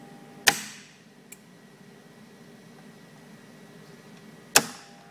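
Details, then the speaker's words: Ice bank system control box: two sharp relay clicks about four seconds apart over faint electrical hum, the relay energising after the solenoid without a call. A sticky relay was suspected; the ice level selector switch was faulty and the control had been linked out. "i don't know if this is wide right you know because i can hear that relay clicking after the solenoid"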